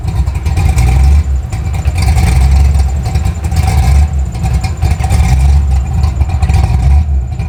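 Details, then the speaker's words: Fox-body Mustang V8 with replacement ECU, low power, slight misfire, heavy eye-burning smoke: deep rumble surging and sagging unevenly with no steady rhythm; running rough and erratic, cause not yet found. "The new ECU's got great power, but it's very erratic. I'm going to fire it up now so you guys can have a listen to it."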